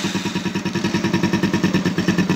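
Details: Keeway Target 125 Cub-type motorcycle engine, idling and blipped: steady, even idle pulses at about eight a second with no ticking or hiss; the PAIR valve noise is gone.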